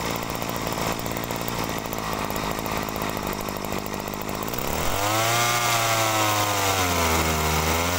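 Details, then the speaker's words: Agricultural sprayer two-stroke, original carburetor: steady buzz, then pitch sags and wavers ("ngok") on throttle opening; mechanic suspects lean mixture, screw adjustment doesn't fix it, pump suspected, cause not yet found. "Nah jadi teman-teman di situ masih timbul ngok ya nah ini kalau timbul ngok kalau saya dengarkan ini sepertinya kurang boros ya"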